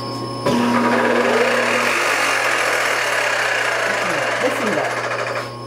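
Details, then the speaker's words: Supermax YCM-16VS Bridgeport-clone milling machine, spindle engaged: heavy rapid clunking about four per second under wavering squeals; owner suspects spindle gearing/timing belt issue, not confirmed. "don't know what that cranking noise is but that ain't good so you can see now i don't know if you can hear with all the squealing going on"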